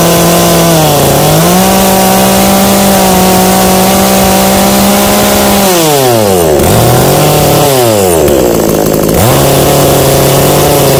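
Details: New, unboxed Kratingdam (Black Bull) TOP 6000 two-stroke chainsaw with a new air filter, longer conrod and 45.2 mm two-ring piston. Revs climb and fall evenly with each throttle blip, then settle to a steady idle; normal, healthy revving.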